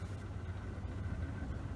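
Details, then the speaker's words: Leslie 145 rotary speaker after servicing the rotor bearing, reassembled and started: low, softly pulsing rumble, smooth with no grinding or chatter, definitely quieter than before. Normal running. "That's definitely quieter, isn't it? Top job."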